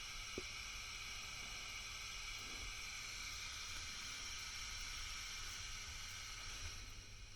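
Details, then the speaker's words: Fender Bassbreaker 15W tube amp head after repair (shorted R13 found, red-plating output tube), brought up slowly from about 150 V: quiet even hiss with faint steady high tone, no crackle or rising hum; idling cleanly, no red plating. "Now, let's go up a bit more. You can hear that that's now running."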